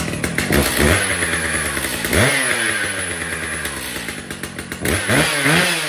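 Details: Brand-new Stihl MS 881 chainsaw: two-stroke snarls up to a high scream and drops back to idle several times with clean, crisp revs; sounds healthy.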